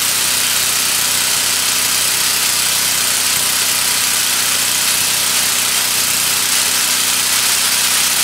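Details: New Lincoln Ranger 250 GXT engine-drive welder running just after its first start: a steady, even engine drone with a hiss over it and no knocks or misses. The engine sounds healthy.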